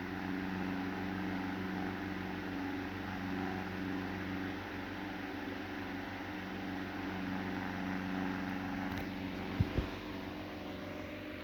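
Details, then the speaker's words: Restored vintage Marelli fan running on high: steady drone with an uneven throb and loose knocks. Mangled, misaligned blades cause the wobble, and worn remnants of the oilers holding the bearings cause the rattle until proper oilers are fitted. "still a bit of a wobble obviously because of these blades that are pretty mangled and what's left of the oilers holding the bearings in place are causing a rattle"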